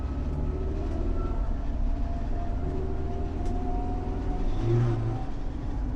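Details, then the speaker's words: Subaru automatic transmission swapped into a VW T3 Kombi, on a road test: at low speed and about 1000 rpm a steady bearing-like whine rides over the engine drone and fades with speed. Owner attributes it to the transmission chain. "então que já se percebe é que em baixa velocidade e rotação média ali assim mais ou menos uns 1000 RPM você escuta o barulho como se fosse de rolamentos"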